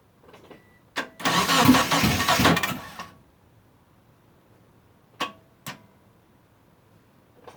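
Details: Mitsubishi Eclipse after about 8.5 years sitting, fuel pump now connected, spark and fuel confirmed, battery sounding weak from sitting and being put on a charger: starter churns about two seconds without catching, crank no start; owner suspects the crank position sensor.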